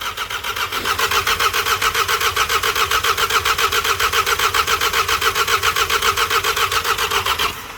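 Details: VW Scirocco with a freshly rebuilt MK6 Golf-type petrol engine, after a 3–4+ year standstill with the old fuel still in the tank: long, steady cranking at about four compression beats a second for seven seconds, never firing. The ignition switch is intermittent and the old fuel is suspect.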